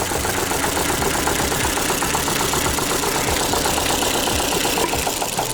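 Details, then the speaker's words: Ford Fiesta, engine light on, unplugging coils shows cylinders 1 and 2 not contributing: rough uneven idle with lumpy stumbling beat and irregular dips; random misfires traced to a burnt valve. "Cylinder 1 and 2, mate. Random misfires."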